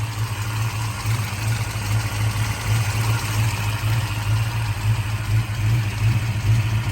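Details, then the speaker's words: 1966 Shelby GT350 with a freshly rebuilt 289 HiPo 331 stroker with solid lifters, warm after being driven: steady, lumpy V8 idle with a light, even valve clatter. Normal solid-lifter tick. "is still solid lifter engine as you can hear the solid lifters"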